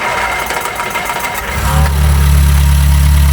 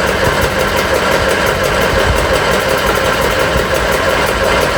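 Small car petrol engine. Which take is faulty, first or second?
second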